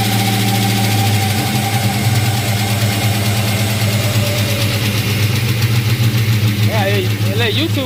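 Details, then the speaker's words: 5.3 V8 in a box Chevy at idle: steady deep idle with a faint irregular tapping over the top; something is off but the cause is uncertain, only suspected. "and it might not be just ugly it might be something like because they said it may be this and it may be that so you listen to it you tell me what you think"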